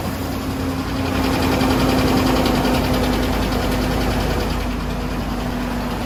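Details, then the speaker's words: Ford F-150 5.4L 3V Triton V8 with internals basically new, cold start: loud fast top-end valvetrain tapping on the passenger side, present constantly after startup over fan roar; suspected failed or unreplaced roller followers or misassembly, not confirmed. "The loud tapping noise on startup, and it's constantly there afterwards. Definitely on the passenger side."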